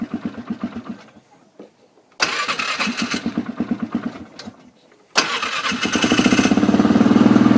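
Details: Honda 400EX quad, just reassembled, cold weather start: two bursts of slow chuffing cranking, then the single fires and settles into a steady, fast thumping idle, running slightly rich; normal cold start.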